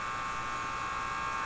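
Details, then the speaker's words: General Electric KL-70 AM/SW tube radio during troubleshooting with a signal generator fed at what may be the 175 kHz IF; the speaker gives a steady electrical buzz with a rough crackle, cause still unknown. "gotta figure out what it is that makes this thing so crackly"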